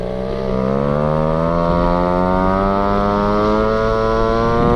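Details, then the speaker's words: Go-Ped two-stroke scooter run after sitting 15+ years, carb being cleaned out, burning off carbon: bright buzzing note climbs smoothly and evenly as throttle opens, no misfire or knock; running well. "She's smoking all sorts of carbon out right now. We're gonna open the throttle. Oh wow. And you can hear the carbon burning."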